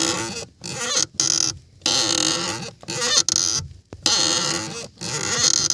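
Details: Volkswagen clutch pedal: high creaky squeaks in bursts, roughly one a second, each time the pedal is pressed; clutch pedal squeak.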